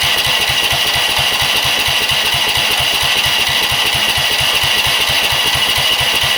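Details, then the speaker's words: Rock-mower small engine with new carburetor, just primed and started, governor and rev limiter removed: loud, ragged run pulsing about twice a second, won't hold steady speed; owner suspects the throttle setup without the governor. "oh my gosh so I think part of that has to do with my throttle stuff over here cuz it doesn't have so I took the um revlimiter and all that stuff the governor and all that junk out of this this dude a long time ago so it probably has something to do with that"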